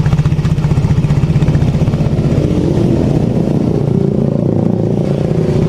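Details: Yamaha X-Ride scooter after repair for heavy, weak running and backfiring, idle speed raised: fast, even single-cylinder pulsing with no banging or stumbling; normal idle.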